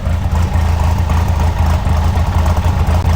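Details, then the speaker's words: Chevrolet S10 swapped with big-turbo 3.0L MerCruiser cammed four-cylinder, on a new engine computer, idling cold at 800 rpm versus usual 1,100: deep, lumpy loping idle about three pulses a second; cammed four-cylinder idle. "we even got this thing to idle cold at 800 rpm you ever hear a cam four-cylinder idle at 800 rpm"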